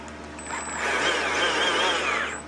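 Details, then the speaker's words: Stihl MSA-series battery chainsaw (MSA60/70/120/140) after cleaning and reassembly for a not-oiling fault, with the worm drive set in the middle. A smooth whine spins up, holds and winds down with no grinding or chatter; it sounds normal. "Sounds good to me. That's how you do it."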